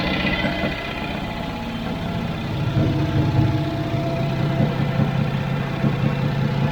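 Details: Bespoke three-wheeler built on a Citroen 2CV flat-twin, barn-stored 25 years, first start on a borrowed battery: uneven but steady low putter at idle, a bit lumpy yet running on its own.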